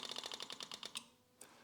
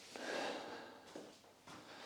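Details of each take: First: Yamaha YZF1000R Thunderace rebuild: quick light ticking about ten a second for a second, fuel pump priming and now sounding pressurised, normal. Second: Yamaha YZF1000R Thunderace rebuild, abandoned 20+ years, fuel pump heard priming: starter cranks steadily about three seconds, never catches; no fuel reaching engine, owner suspects fuel tap, later found blocked.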